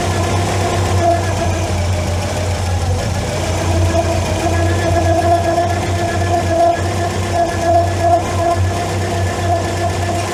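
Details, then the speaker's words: MK2 Volkswagen Scirocco warm near 1000 rpm, failed MOT on emissions, running on three cylinders with plugs 1 and 3 fouled and bent. A steady mid-pitched whir over an uneven idle; the owner suspects the timing belt is done up too tight. "It's not making it easy, old girl. I can't hear what I'm doing. It sounds like a timing belt's been done up way too tight, to be honest."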